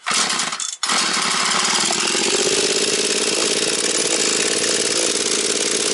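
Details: Husqvarna 240 chainsaw restarted after carburettor retuning, idle to be raised slightly as it is still bedding in: brief catch, then a steady, even high-pitched buzz with no hunting or stalling; running normally.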